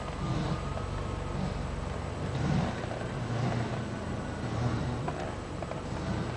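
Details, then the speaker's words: At about 2 mph, driving straight, a soft scraping swish from the passenger-side front wheel comes round about once a second in step with the wheel; not worse when turning, seems worse when going slow: front wheel rubbing noise. "Okay, figure out this fucking noise, alright? It's from the passenger side front wheel."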